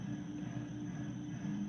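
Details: Dover hydraulic elevator pump in a seven- or eight-story building: a heavy, steady low hum and rumble on startup and running, louder than it should be; the cause is unconfirmed.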